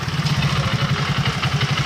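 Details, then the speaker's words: Hero Super Splendor single: smooth at idle in neutral, but in gear as clutch releases a rapid even rattling clatter about seven per second persists even after new primary pinion; worn clutch housing. "इसका GPD Pinin लगाने के बाद भी रा रा sound हो रहा है"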